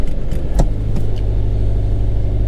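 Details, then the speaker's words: Subaru BRZ/Toyota FRS just after a manual transmission install, first start with clutch in, then clutch out. A few light clicks, then a low, even idle rumble with no grinding or rattles. No weird noises; normal idle. "So yeah, sounds good. Clutch in and out, no weirdo noises."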